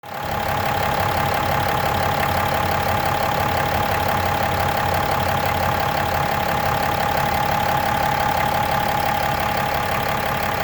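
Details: Brand-new 2018 6.7 Cummins diesel at idle: steady idle with an irregular light rattle and knock or ping coming and going over the clatter. Random knocking at idle, cause unidentified.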